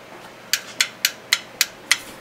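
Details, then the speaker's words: Mitsubishi F4A33/W4A33 automatic transmission shift solenoid A/B (orange and yellow wires) tested with a 12V battery: six crisp clicks about four a second as the plunger bottoms out; healthy, working solenoid. "hear that plunger moving and bottoming out inside the solenoid very clearly and that's what that's what my transmission used to sound like"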